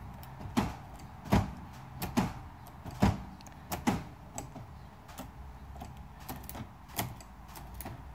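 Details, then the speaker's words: BMW V12 with the door latch/lock mechanism undone: central locking, which also locks the trunk, cycles by itself; sharp lock clunks about once a second in uneven bursts, fading weaker. "uh-oh I think I unlocked it oh look at that now it's locking by"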